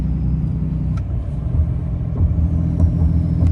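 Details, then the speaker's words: Ram 6.7L Cummins diesel, turbo rebuilt with Amazon parts ~1 year/30,000 miles ago, coasting downhill with empty trailer, off the pedals: deep, heavy back-pressure growl as turbo exhaust brake holds hard, slowing truck and trailer; working normally. "hear that turbo brake hitting real hard now. That's nothing on the pedals down there. That's all turbo brake happening right there. Just slowing the truck and the trailer down."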